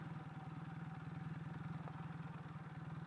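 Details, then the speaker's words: Kawasaki KZ440 single carb, warmed up after a ride and quieter than at cold start: even, steady exhaust pulse at idle with no misses or knocks; normal idle. "oh look at a nice nice Idol going on right now let's park it right here"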